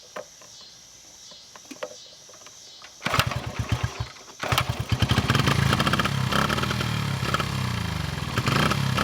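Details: 1974 Honda XR75, 48-year-old single, new carb, air screw out 3.5 turns: fires into uneven popping revs that never smooth; burning lots of oil.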